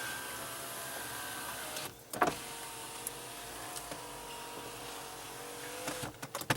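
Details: Grand Am GT SC/T power window: a smooth, even whir of the motor running up and down, stopping cleanly with a soft thunk; this window works normally, unlike another whose regulator is suspected bad.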